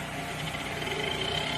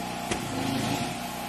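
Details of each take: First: 24-inch ventless dryer on the air-dry cool cycle, no error codes: thin scraping hiss over the running drum with an uneven rub a few times a second; rubbing noise, cause unknown. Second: see it was spinning so I don't know what she's talking about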